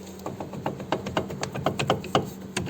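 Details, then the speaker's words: Geely CK front suspension during ball joint replacement: sharp, uneven metallic clacks as the loose front brake caliper is rocked by hand, same on both sides; owner reports rattling through the cabin over bumps. Brake caliper rattle suspected. "Это у меня супер тарахтит. Кстати, справа и слева так одинаково."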